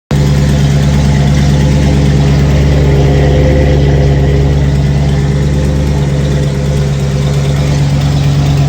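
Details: 1989 Ford F-150 V8 at idle, deep and loud, with a puffing, ticking chuff in step with the firing pulses: an exhaust leak.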